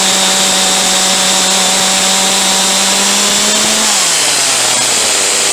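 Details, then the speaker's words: Huztl G366 (Stihl MS361 clone) chainsaw warmed up: steady high buzz, then revs sag and drop off after a few seconds; dies when hot and leans itself out, owner suspects a plugged or partially plugged fuel tank vent. "she'll die coming out of the cut and really wanna idle real well unless I've got an idle and quite hot she keep leaning herself out"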